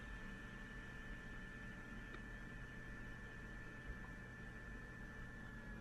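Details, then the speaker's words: Fujitsu Q704 running a benchmark: the cooling fan ramps up almost immediately and then a little more, giving a steady airy rush with a faint high whine over a low hum under load. "you'll hear the the fan going up and down pretty much starts immediately and then it ramps up a little more"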